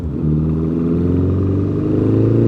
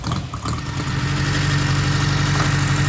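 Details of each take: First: 1955 Ariel SQ4 four-cylinder motorcycle under way at light throttle: steady drone with a faint fluffy unevenness, a mild stumble or misfire; work in progress, cause not yet found. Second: 1955 Ariel Square Four (SQ4) motorcycle: steady low four-cylinder burble at idle with a slight dip in the middle, running evenly; normal idle, though a slight stumble/misfire is noted when ridden, work in progress.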